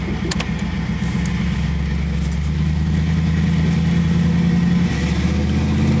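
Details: 1986 Camaro IROC-Z after the welded Y-pipe repair, with the exhaust now leak-free and the engine revved. A deep, even rumble rises smoothly with the revs and has no ticking or puffing: normal exhaust note.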